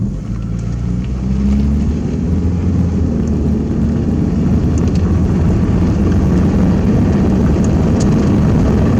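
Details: Old $500 Toyota Corolla after new fuel pump, fuel filter and air filter were fitted: steady low rumble settles in after start and holds an even idle, no knocks or misses; normal, healthy idle.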